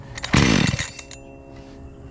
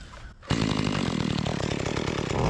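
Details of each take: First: Makita EA3200S chainsaw that ran fine before a year of shelf storage; after priming with choke on, it catches for about half a second with a sharp burst then dies to silence. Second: Makita EA3200S chainsaw, repaired after not starting following a year in storage, test cutting an old utility pole: pulls strong and steady, revs dip and recover evenly under load; runs clean and healthy.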